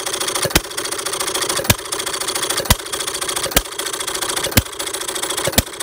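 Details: Perkins vertical air-cooled side-shaft hit-and-miss scale model engine, 9-inch flywheels, mixture set almost straight back from the stop, taking one intake gulp per fire: sharp single pops about once a second with quiet coasting clatter between; healthy, well tuned.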